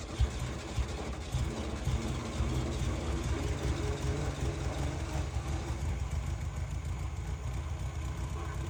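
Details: Volkswagen dune buggy air-cooled engine, abandoned long near the beach and badly rusted, restored with coil and lines reconnected: low, loping idle, slightly uneven at first, then a steady beat after a fresh start.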